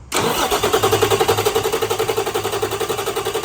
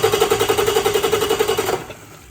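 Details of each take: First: Rebuilt Cummins QSM11 diesel on test stand: even starter cranking about four beats a second, never fires; no fuel flow because the 24 V fuel shutoff solenoid on the main fuel pump is poorly grounded. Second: Freshly rebuilt Cummins QSM11 diesel on test stand, after adding a ground wire from starter to the 24V fuel shutoff solenoid frame: even rapid cranking about eleven pulses a second, under two seconds, not yet firing. Normal cranking.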